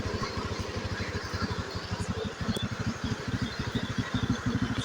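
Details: Beat Pop two-stroke after rebuild (scored cylinder and old piston replaced): even, steady firing pulses at idle with no knocks or misses; thin residual exhaust smoke expected to disappear; engine running healthy.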